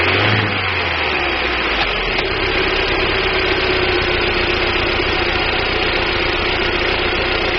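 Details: 1999 Daewoo Nubira 2.0L DOHC U20SED at idle: uneven stumbling beat with rough flutter under the exhaust note, misfire; owner suspects weak spark from the DIS ignition coil, not confirmed.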